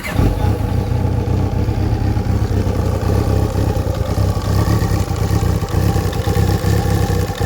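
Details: Kawasaki ZXR 750 engine revving: steady low beat with faint clattering taps underneath; knock suspected, not confirmed.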